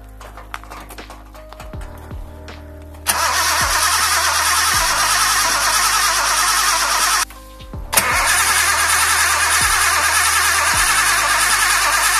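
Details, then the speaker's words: Datsun 280Z with a poorly fitting Mercedes fuel pump, new spark plugs and badly contaminated old fuel: the starter spins in two long bursts but it never fires; no start. Injectors to be checked next. "As you saw, car did not start. We decide that next point will be to check injectors then."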